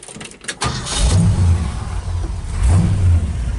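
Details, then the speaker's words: 1964 Ford F100 short-bed pickup, old V8: two clean, even revs rise and settle smoothly with no knocks, ticks or stumble; runs healthy. "looks me like about at 67 68 Ford nice yeah it sounds sweet too"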